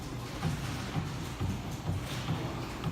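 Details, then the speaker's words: Vertical bearing shaft and beam being adjusted, with the two bolts loosened and a screwdriver between standoff and upright: soft repeated clicks about twice a second as the axis is rocked up and down; rack and pinion backlash set too loose. "That's too much. Hear the clicking, that was too much."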